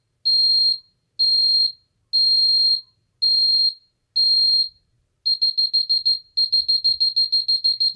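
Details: Ademco 6139R alarm keypad after arming away: five long beeps, then rapid chopped beeps breaking up unevenly. The sounder stutters worse than the other keypads, noticeably when the display changes; older keypad design suspected.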